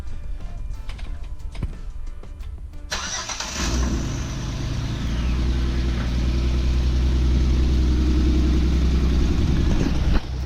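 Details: Jeep with manual transmission, after misfire repair and wiring: starter cranks briefly, engine catches and settles into a steady, even idle with no stumble; misfire code still stored, starts and runs cleanly.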